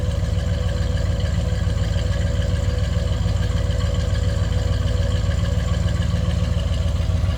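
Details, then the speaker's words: 1972 Chevrolet Caprice 4-door hardtop with big-block engine, idle after start: even, mild low rumble, steady with no misses or knocks; "nothing crazy over the top, just a nice sounding car", healthy idle. "Not too bad. Nothing crazy over the top. It's just a nice sounding car."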